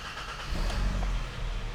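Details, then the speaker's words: 2012 Hyundai Sonata 2.4 GDI with a check engine light, low power and misfire; the starter churns for about three seconds before it starts, every time no matter how long the car sits, pointing to a fuel-system problem. "Again, about a 3-second crank time. This happens every time. It doesn't matter how long the vehicle sits or anything."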